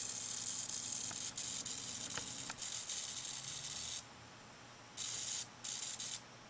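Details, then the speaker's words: Atwood APS-5530 RV power converter from a travel trailer, outputting only half DC voltage (about 6 V); after resoldering two joints it works but makes a thin high-pitched hiss and buzz in bursts, suspected high-frequency switching transformer or failing power transistor. "that is the sound that i'm talking about i have no idea what that is but i think that is a high freq high frequency switching transformer really really odd sound"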